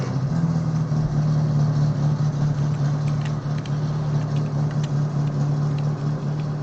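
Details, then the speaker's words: Car engine idling with an uneven, stumbling beat about two to three times a second, like a cylinder dropping out; misfire persists after new spark plugs, radiator just replaced, no coolant; owner suspects wrong timing from last rebuild. "today so i just ran into an issue my car i just replaced spark plugs and it still misfires so here i'll let you hear it"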